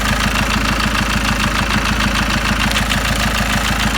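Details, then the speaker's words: Ford Mondeo Mk5 2.0 diesel, 246,000 miles, initial startup after timing chain and tensioner replacement: heavy lumpy chug around three pulses a second at idle; rough idle. "Do you know something? This engine, on initial startup, it was kind of like chugging a bit, like"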